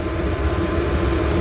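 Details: 8 kW 12 V diesel air heater installed in a Bayliner 2455 Ciera boat, running: steady low rumble and fan rush with faint fuel-pump ticks; gap insulated; normal running.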